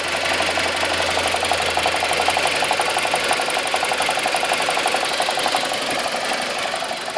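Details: 2002 BMW 318i N42 at 128,000 km, just bought: rapid, busy metallic rattle from the engine over a low, uneven idle; idle revs are too low, cause unknown.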